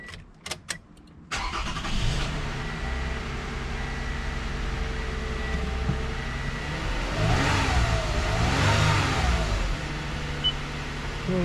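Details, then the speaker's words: 2015 Toyota Sienna after replacing spark plugs and ignition coils: short crank, quick catch, then smooth steady idle with a couple of light blips, no miss or tick; engine runs well. "sounds like it running good"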